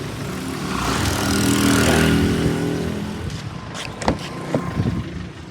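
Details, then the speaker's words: 2014 Kia Cerato, nearly two years owned, no oil or coolant loss and no smoke: engine blips then settles to a light, regular tapping about three per second; knock that nearly disappears once fully warm, source not pinned down. "Ele tem essa batidazinha aqui. E se contar quando ele tá quente, quando ele tá quente, quando ele esquenta mesmo, eles praticamente zera, some, entendeu?"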